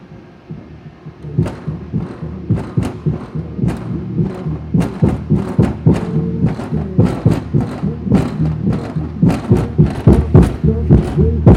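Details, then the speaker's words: Kicker CVX 15 subwoofer at low volume after repair (voice coil epoxied, terminals resoldered): clean, tight bass thumps at about 107 a minute with no buzz or voice coil rattle; normal playback. "even at this low volume when i had it hooked up you'd hear the voice core rattling like crazy and fortunately i don't hear any rattle at all"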